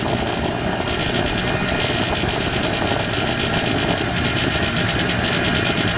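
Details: 1994 Polaris Xplorer 300 4x4 after a top-end rebuild: a raspy, fluttering buzz over the exhaust at certain RPM ranges and on decel. It happens with or without the primary clutch, driving or stationary, and nothing obvious is rubbing. Cause unclear.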